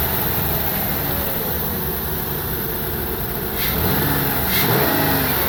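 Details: 2003 Ford Windstar 3.8L V6, 170,000 miles, after replacing cracked ignition coil that caused cylinder 2 misfires in rain: two clean, even revs with steady idle between, no stumble or miss.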